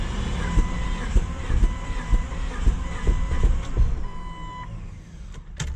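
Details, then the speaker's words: Crank no start on Project Bravo after a new Fel-Pro head gasket and new battery: uneven cranking thumps about twice a second with a chime, engine turns but never fires; fuel pump primes and strong fuel smell. Owner suspects the head gasket didn't seal. "like it wants to go I smell a lot of fuel so the fuel pump is definitely working"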